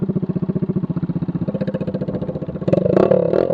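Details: Scooter riding: loud, raspy, open blatting exhaust rising with revs after the muffler tip fell off and all silencer packing was gone, leaving an empty can; loud exhaust from gutted muffler.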